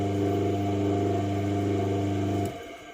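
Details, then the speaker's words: Single-phase induction motor with running and starting capacitors and centrifugal switch, newly wired, spinning the wanted direction: steady even hum, cutting out at switch-off; normal running. "बिल्कुल आसानी से हमारी motor चल रही है।"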